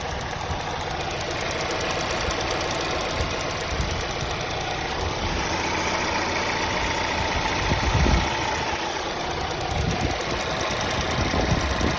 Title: Ticking noise from volvo s60 t4 2020 what is its ?